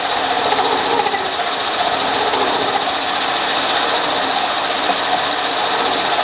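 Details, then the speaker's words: Milling machine hand-feeding a 3/4-inch-wide, 6-inch-diameter cutter with a new outboard support and a close-tolerance bushing added for rigidity. A steady, high-pitched cutting hiss with no chatter: a normal, rigid cut. "So we're gonna go ahead and make another little cut manually. I'll hand crank it through there, and you can see this is a 3/4 wide cutter, 6-inch diameter."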